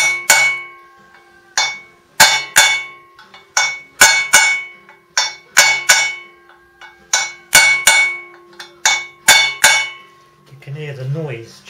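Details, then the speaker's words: 1991 Suzuki RGV250M fitted with Suzuki RF600 front wheel, bearing driven in with hammer: irregular sharp metallic blows with a ringing note that sharpens as the bearing bottoms out; fully seated. "when it the bearing bottoms out just to double check gets that ringing noise down"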